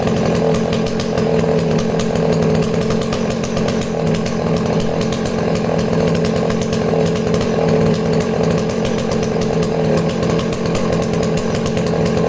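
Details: Danarm 36 "hot rod" chainsaw with stainless steel exhaust, cutting wood: steady strong high buzz without stumbling or dropouts; intermittent off-load misfire disappears under load, runs clean.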